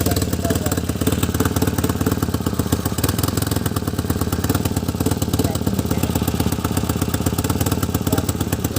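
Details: Tata Nano with a misfire before diagnosis, spark plugs to be checked. Loud, lumpy idle with an uneven, stumbling beat and choppy exhaust pulse: engine misfire at idle.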